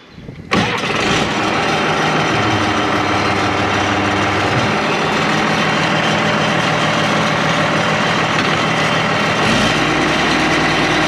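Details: International IH 175C track loader diesel, pedal just adjusted: brief crank, catches cleanly, settles to steady even idle, no knocks or misses; normal start and idle.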